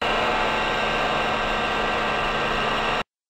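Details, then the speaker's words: VFD-controlled electric motor when new, before bearing fluting developed: steady even run with soft low hum and airy hiss, no whine or grinding; normal motor run. "however it didn't always sound this way this is how it sounded when it was first purchased"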